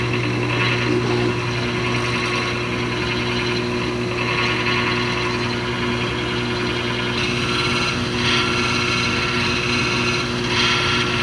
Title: GE washer with grinding noise 2